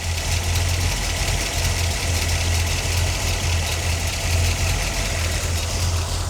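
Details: 1977 C3 Corvette 383 stroker small block, carbureted, during idle mixture screw adjustment: deep, even idle holding steady at the same speed, with no run-on/dieseling or stumbling; the engine is idling properly.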